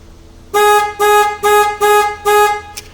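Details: 2006 Chevy Express 3500 van during a plug-and-play remote start install, with a test light on the tan horn wire. Five short, clean horn toots at about two a second, each a full steady tone; the horn circuit works.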